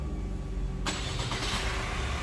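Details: Opel Astra K at 169,000 km, first start after timing chain noise repair: short crank, clean catch into steady, even idle with no start-up rattle; healthy. Separate intake manifold noise still to be fixed.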